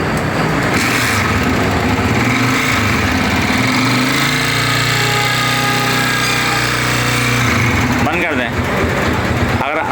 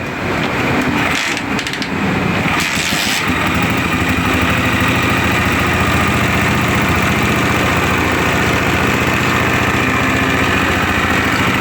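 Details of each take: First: Honda CG 125 motorcycle running before teardown: busy metallic clatter from the top end riding steadily over the engine; valves, piston and cam follower later replaced. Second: Honda CG 125 motorcycle after cam follower replacement to cure engine noise, head reassembled and started before fitting the tappet cover: catches in seconds, even single-cylinder idle with only a light valve tick; healthy.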